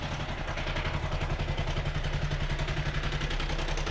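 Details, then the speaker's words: Benelli 899 TNT motorcycle at idle, microphone near the chain side: fast metallic clatter about three or four rattles a second over a slightly uneven idle; stretched timing chain, engine out of time, sensors reading normal. "este ruido es de la cadena de tiempo y por supuesto el motor se encuentra fuera de tiempo"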